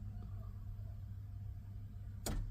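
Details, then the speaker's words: Nissan Juke F15 with an intermittent no-start: pressing the start button gives sharp clicks from the starter in the engine bay with no cranking. Faulty starter motor, to be replaced. "So I hear a clicking then one other clicking will happen. See the hear the clicking guys that's also coming from the starter guys in the engine bay."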